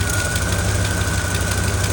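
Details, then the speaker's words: 1970 Ford Thunderbird V8 idling: a faint, quick ticking chop on the exhaust note from a small header exhaust leak, with carbon visible at the spot. Quieter than before, still faintly audible. "I mean, you can see the carbon or whatever coming out of it. That's where it sounds like it's coming from."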